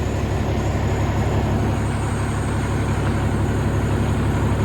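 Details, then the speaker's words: 2003 Freightliner Columbia, Caterpillar 3406 (6NZ) diesel, after adjusting the number 5 injector that caused yesterday's problem: smooth, even idle at correct rpm, no miss or stumble, mirror no longer shaking. "It's hard to see, but you can feel it, you can hear it. Nice and smooth at idle. RPMs are just where you want them."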